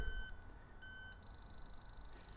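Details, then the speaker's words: Robin Air leak detector for R134a and HFO-1234yf, with a small refrigerant leak made by briefly depressing a Schrader valve: a thin electronic tone rises into a steady shrill beep as it detects refrigerant. "picking up refrigerant all I did was depress the Schrader valve a little bit so it detects it low medium and high"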